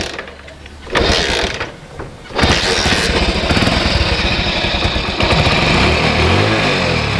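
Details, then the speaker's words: Hero Honda (Splendor/Passion-type engine) motorcycle idling steadily after timing chain noise fix, tensioner allowed time to self-set; no chain rattle or ticking left — normal idle. "देखो दोस्तों timing chain का जो आवाज़ है ये पूरी तरह चला गया है। ये देखो ज़रा भी टाइमिंग चेन का आवाज़ नहीं आ रहा है।"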